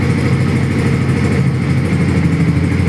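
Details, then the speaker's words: 2018 Honda CB150R 150cc single with 7,000 km, oil last changed around 5,000 km: a smooth, soft idle with an even beat and no tapping or rattle; normal idle. "ลองฟังเสียงเครื่องดีกว่าครับเนี่ครับเครื่องนิ่มๆเลยนะครับ"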